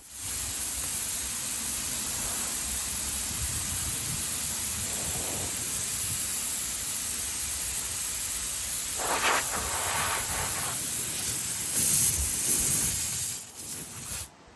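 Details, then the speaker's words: Car tyre with a slow leak caused by a screw, after a first Slime DIY plug failed to seal: steady hiss of air popping out through the open puncture, with handling noises near the end; tyre air leak through puncture. "At first I thought that had sealed it. However, you can still hear it popping, so best to insert a new one."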